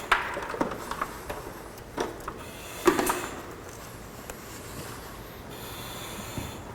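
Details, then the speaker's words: Firefighter's breathing apparatus with the hose connected to the mask, breathing tank air: soft hissing breaths through the regulator every few seconds, no constant leak hiss; delivering air normally. "so he's connected the hose to his mask and he's breathing the tank air now"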